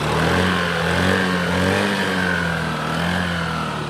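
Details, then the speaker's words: Honda Activa 5G scooter with a Denso-type OEM CDI, after an ignition wiring harness fault: starts on the first touch of the self-starter, revs up and settles cleanly with an even exhaust beat; healthy. "இப்போ பார்த்தீங்கன்னா வண்டி single டச்சில் start ஆகி நல்ல racing ஆகுது."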